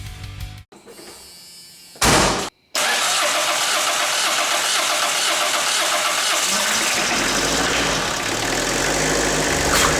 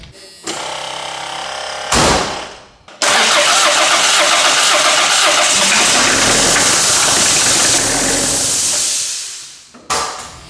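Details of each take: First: 1984 Ford Escort diesel barn find, non-running, first start on fuel from a can: a couple of cranking bursts, then it catches and settles into a steady, even run with no misfire; normal diesel start. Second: 1984 Ford Escort diesel barn find, first start after sitting: it cranks and catches, then a super loud steady hiss over the engine until it is shut off.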